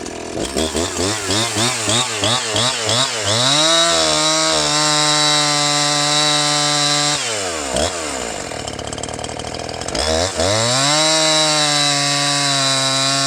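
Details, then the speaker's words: Husqvarna 345 chainsaw with a fresh cheap Amazon top-end rebuild kit, warmed after a two-minute idle, making a test cut: revs climb and bog into the cut with a high rasping scream, then recover; engine works right, but the chain is very dull and needs sharpening. "Well, she's as dull as a baseball bat. That's not going to help. We're going to have to do a little sharpen on this, but it sounds like it's working right."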